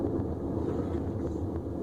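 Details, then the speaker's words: Large GE washing machine noisy on spin, drum turned by hand: rough, loud continuous rumbling grind; drum noise, cause not yet found. "este barulho já está fazendo muitos gays pode ver que ela faz barulho muito forte muito agressivo"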